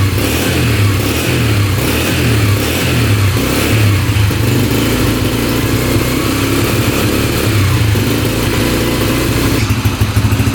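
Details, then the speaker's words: Freshly rebuilt 2003 Yamaha TTR125 single-cylinder dirt bike, first start after repairing an engine knock, fresh 10W40 wet-clutch oil: a steady idle putter with light throttle blips and no knock or rattle. It likely just needs breaking in. "She's idling pretty good. I think it just needs to be broken in a little bit. Sounds pretty good."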